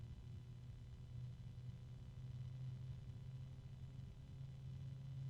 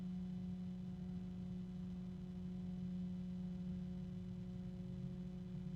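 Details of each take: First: Small 3-pin sleeve-bearing case fan running fairly quiet: low steady hum under soft airflow whoosh with tonal harmonics and slight rubbing, expected to get louder over time because of the sleeve bearings. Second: Rosewill RFA-120-K 120 mm sleeve-bearing case fan running: smooth, quiet, even hum with a faint airy rush and slight rubbing and harmonics; normal, though the sleeve bearing won't stay quiet.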